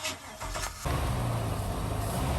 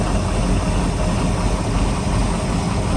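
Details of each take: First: 1997 Maxum 2300 SC boat engine cranking, then catching into a rough, lumpy low run that struggles to stay running despite throttle, with a high-pitched mechanical clink or clunk; blown head gasket. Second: 1997 Maxum 2300 SC boat inboard engine, after two months in the shop with many new parts after a hard-starting problem: deep, steady, even rumble with no knocks, misses or surges; normal running.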